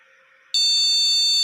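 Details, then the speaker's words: Motherboard with a buzzer speaker fitted, powered with no RAM installed. After silence, a long high-pitched beep sounds and repeats continuously; on this board's BIOS that means RAM not detected or not installed. No-RAM beep code. "Ternyata, tanpa RAM terpasang, akan terdengar bunyi bip panjang yang berulang ."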